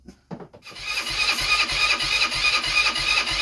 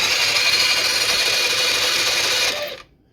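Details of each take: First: Blade 150 / RZR170-clone UTV, 150cc GY6 shortcase engine, previously seized, being revived: two bursts of fast, even starter whirring, three to four seconds each, no firing; cranks but won't start after starting fluid and a better battery were fetched. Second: Blade 150 / RZR170-clone UTV with GY6 150cc shortcase engine previously seized, hotwired starter spinning it without spark plug: smooth, even high-pitched whir with no binding, then winding down; engine now spins freely.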